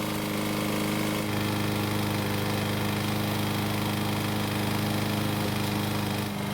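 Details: Single-cylinder lawn mower engine running after cable repair, oil change, blade sharpening and clearance check: steady even beat about three firings a second, no misses or knocks; runs healthy.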